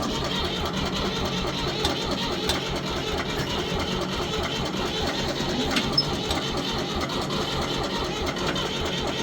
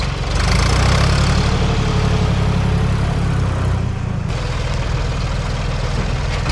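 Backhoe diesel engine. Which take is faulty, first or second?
first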